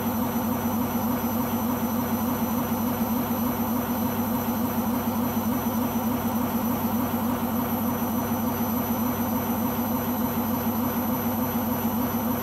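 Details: Beko washing machine on its last legs, loud steady roar with a low hum and an even throb about twice a second during spin; owner suspects the rubber behind the drum, cause unconfirmed.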